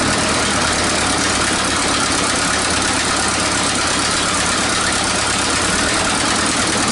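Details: 1947 Nuffield grader revived after 20 years parked: engine idling steadily with raspy, hissy edge from exhaust leaks; mixture and idle still need sorting.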